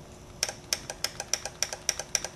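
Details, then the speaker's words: Single Bosch EFI fuel injector on the bench, triggered by a homemade rig with push button and 9V battery: sharp, crisp, even clicks about four per second; injector opening properly, tested good. "my test rig consists of some injector plugs few pieces of wire a push button switch and a 9vt battery to power it which will trigger the injector"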